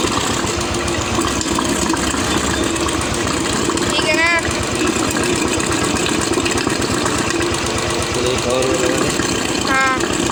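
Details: Royal Enfield UCE Electra (Bullet) single-cylinder rebuilt to fix engine noise, with head gasket, head, rocker arms, carburettor and silencer packing refitted: even steady idle thump, no knock or rattle; oil circulation perfect; running clean.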